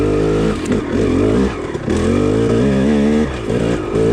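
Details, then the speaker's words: KTM 300 two-stroke on a stock Keihin PWK 38 carburetor with JD Jetting kit, trail ride in second gear: crisp note climbs cleanly from low revs under load, no bogging or spitting; pulls strong from the bottom. "it's a nice increase from the bottom you can hear it on the video"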